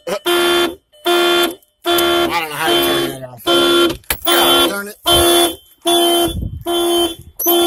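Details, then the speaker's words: 2000 VW Jetta 2.0 four-cylinder, after fixing a suspected relay-box chassis ground behind stalling and no-start (P0231 code): alarm sounds loud horn-like bursts about every 0.8 seconds; alarm working normally again. "Boy. The alarm works now. Everything should work."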